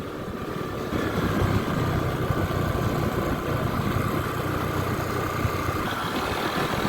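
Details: Honda ADV 150 scooter on a test ride after fixing a loose part behind an intermittent no-start (battery 12.3V), idling at a stop: a soft, even single-cylinder putter under light background noise; normal, healthy idle.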